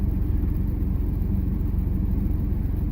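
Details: 1998 Chevy Silverado 1500 4.3L V6 Vortec 4WD idling right after fuel pump replacement for low fuel pressure and hard starting; started quickly, pressure about 52–53 psi; steady, deep, even rumble, regular pulse near four beats a second, no misses or knocks; normal idle.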